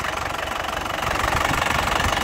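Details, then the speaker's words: 2017 black LS Turbo diesel, 130,000 km, injection pump still original and factory-calibrated; even, crisp diesel clatter at idle with steady firing, no stumble or excess vibration, slight settling after start. Healthy, stable idle. "dari suaranya kelihatan Lur mesinnya suaranya masih renyah khas penter dari getarannya juga getarannya masih e senyap ya Mas Bagus tidak tidak oblak tidak pincang ya jadi masih stabil tandanya mobil tidak pincang berarti masih bagus"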